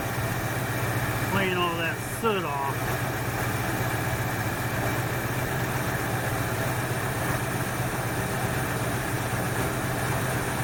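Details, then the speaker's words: 1968 Ford Fairlane after fixing a flooding carburetor that had run way rich, possibly fouling a plug or two; idle now even and steady with no stumbles or misses, set a pad high, sounding a whole lot better. "this is a whole lot better all right i'm just a pad high right about there sounds good"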